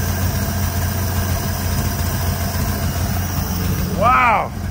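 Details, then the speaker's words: Engine on the car "Mortia" idling smoothly after tuning and lowering a too-high idle; low, even rumble with no misses or surges; a rattle, possibly the fuel line, noted earlier; no cooling yet; normal idle. "wow how's that for running smooth"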